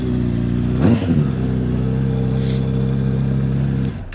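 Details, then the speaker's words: 2007 Honda CBR600RR inline-four, bought used: brief crank, catches, settles into smooth even idle with low burble, no knocks; normal start and idle. "So as you can see, the bike starts up good, sounds good."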